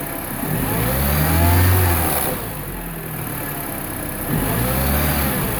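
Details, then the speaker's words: 2009 Mini Cooper R56 non-S with the stock intake silencer box still fitted, before the swap to a VPN 802 tube. Two smooth blips from idle rise and fall cleanly with a soft intake note, no misses or rattles; normal revving. "Okay, here I haven't changed it out yet, so let me step on the gas pedal and see what the engine sounds like before and after."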